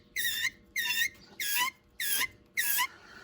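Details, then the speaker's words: TH350 transmission from 1971 El Camino SS; sharp high squeals and whining pulsing about five times in three seconds, from a badly grooved forward drum losing pressure; replaced with heavy-duty drum, extra clutches, roller bearing. "you can pretty much hear uh it's uh squealing and whining obviously can't hear it with the in the car you know through the exhaust internal compartment but that drum was bad"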